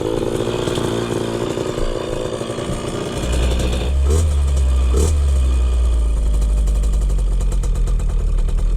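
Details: 2003 KTM 50 Mini Adventure two-stroke dirt bike with a fresh BR8 spark plug, choke off, on a test ride. A crisp buzz picks up sharply on the throttle and the power band kicks in, revving out clean with no bogging or misfire: normal revving.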